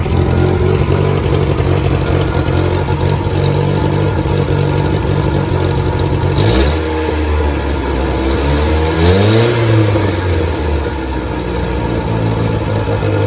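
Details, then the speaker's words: 1988 VW Polo MK2 Breadvan with the cleaned carburettor refitted: it starts, is revved twice, then settles to an idle that wavers up and down with a soft puffing exhaust; the hunting tickover is better than before but not right. "I'm still not happy with that tick over. It does sound up and down a bit to me, but it's better than it was."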